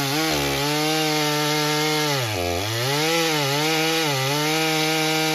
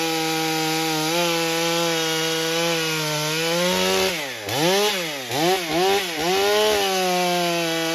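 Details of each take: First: Stihl MS661c with a forged Wiseco piston on its first tank, 40:1 mix, 32-inch bar, cutting soggy poplar; pitch drops and burbles as it four-strokes a little on the first cut, then cleans up on the second cut. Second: Stihl MS661c with a forged Wiseco piston on its first tank, 40:1 mix, 32-inch bar, cutting soggy poplar; a steady high two-stroke scream drops and recovers through the cut, judged to cut nicely and to be better than stock.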